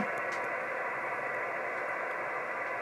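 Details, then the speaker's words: Radio receiver with A&H 12 V 4 A switch-mode pulse repair charger unplugged; only a soft even hiss with no pulsing buzz on top, clean normal background noise. "and now I'll unplug it again and all you're getting now with it unplugged as a little background [Applause]"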